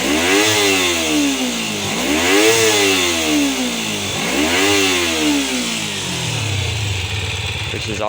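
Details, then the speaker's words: 2000 Kawasaki Ninja 250 with replacement engine, fixed after sitting 14 years: two sharp revs toward the 14,000 rpm redline fall cleanly back to a smooth, quiet idle; healthy and responsive. "has a nice a nice idle it's not too loud but when you rev it up you see that red line at 14 000 Red Line she almost sounds like a torso on there"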